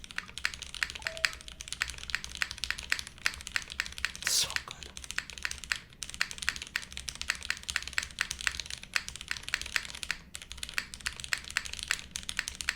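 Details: Monokei x SingaKBD Jaguar TKL, o-ring mount, TTC switches, dark blue flipped spacebar. Crisp, even clacks at brisk pace with one deeper spacebar hit, no rattle or ping; healthy keyboard, though the enter key later sounds sharp (tester suspects stabilizer).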